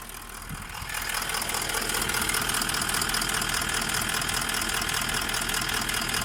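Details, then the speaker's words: Toyota Land Cruiser 200 1VD-FTV diesel V8, fully warmed after a full rebuild for a foreign knock (piston or bushings suspected), catches and settles into an even idle with a steady light clatter, no knocking heard from either side, a healthy engine. "Линия у нас все, автомобиль собран, прогрет. Посторонних звуков нет. С одной стороны. С другой."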